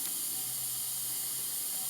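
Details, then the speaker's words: 469 big-block Chevy dragster engine, checked cold during leakdown test with standard rings: steady high air hiss heard at the carburetor when the throttle plate is opened; air leaking past the intake valve. "so that's definitely air leaking right past the intake valve you can hear it right to the"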